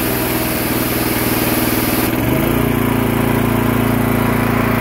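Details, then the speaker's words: Gasoline pressure washer, long unused, started on starter fluid: about 4,000 PSI, then the engine note sags as load comes on near two seconds with a rough pump rattle and big pressure drop. Cavitation from a starved water supply. "when I pulled the trigger it began to uh pressure dropped tremendously and it was rattling that rattling is called cavitation so what happens is your pump is not getting enough water"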